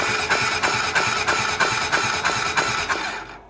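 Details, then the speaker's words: 2008 Honda TRX400EX ATV with melted piston and zero compression, oil refilled, cranked with the spark plug removed: starter spins about three turns a second, each stroke pushing a sharp puff of air out the plug hole. "can hear that air blowing out the old spark plug hole"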